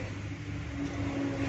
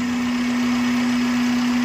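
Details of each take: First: Honda City automatic (i-VTEC): idle drops when shifted to D and falls below 500 rpm in R instead of rising to 900, giving a low, labouring drone, heavy vibration and a rough gearbox noise. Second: Honda City (Vitec) automatic, engine previously hunting with RPM rising and falling and dropping below 500 rpm in D/R with harsh vibration; after intake manifold work and adjustment the engine no longer surges, settling into an even steady idle hum, normal idle.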